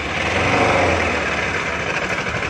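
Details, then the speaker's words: NS200 motorcycle after fixing fuses that blew every time ignition was switched on: fuse no longer blows, engine starts and idles with steady even smooth hum, no knocks or rattles. "Umandar na ang kanyang motor."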